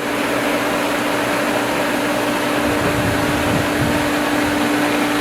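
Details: Pool pump at spring opening, restarted after a leaking fitting was tightened; steady electric motor hum with constant tone and rushing water; primed, building pressure, running normally.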